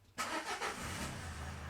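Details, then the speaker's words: 2013 Nissan NV200 1.5 dCi diesel van after an extended-crank fix (cracked fuel primer bulb repaired, quality fuel filter fitted; codes P0190/P0087): brief crank, quick catch, steady even idle, smoother, with rail pressure now smooth. "oh you can hear that's even smoother"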